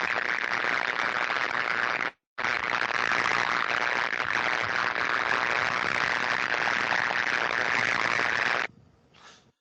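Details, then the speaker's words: Live electrical switchgear recorded with an ordinary camcorder, audible well beyond the ultrasonic early-detection stage: harsh, steady crackling buzz as a failed insulator divider board, sagged to the left, arcs and tracks across to grounded surfaces. "you can see where this one has lost its composure if you will and failed to the left-hand side and got close enough now that we can hear it arcing and tracking across to the grounded surfaces"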